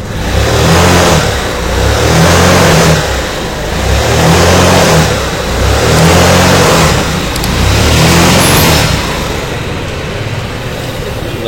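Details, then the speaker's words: Yamaha Mio carburetor scooter that lost power and would not move, after CVT and carburetor adjustment: engine climbs cleanly and drops back in even rev swells, smooth pickup; throttle response now normal. "Coba kita pasang dulu pr-nya apakah sudah bisa normal sudah terpasang nampak kayaknya ini gasnya sudah mau naik ya sudah normal"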